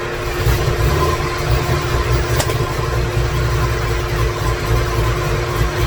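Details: 2017 Corvette Z06 with Texas Speed 416ci stroker, Holley port injection, first fire-up with no tune, no coolant: deep V8 idle loping and stumbling with shaky uneven pulses; rough idle from missing tune.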